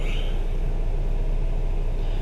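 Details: Cadillac SRX4 with GM High Feature V6 idling after in-car timing chain replacement: steady low, even rumble with no ticking or rattle from the chain area; no trouble codes afterward, normal healthy idle.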